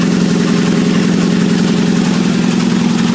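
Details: 1997 Nissan Altima with low power and stalling: rough idle with a fast, fairly even light rattle, about three or four a second. Cap and plugs were replaced and the fuel pump was heard priming; the cause was later found to be a gasket rubber seal torn by overheating from fans not working.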